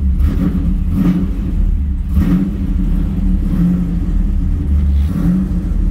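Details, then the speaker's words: F-body car after an Aeromotive 340 lph fuel pump upgrade (part 11569), first start: the engine picks up and revs in smooth blips about once a second, no stumbling or misses; running healthy with no fuel leaks. "yeah she running man got no leaks"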